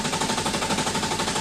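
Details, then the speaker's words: Engine cranked with the harness unplugged to prime oil after a Mishimoto oil cooler install, until the oil light goes out: fast, even starter churn with steady compression pulses and no firing; normal, no leaks seen. "when you're cranking it and then the world light goes out that basically means the oil has flown into the bearings and into the connecting rods and the main bearings and it's forcing it through creating pressure to the rest of the system"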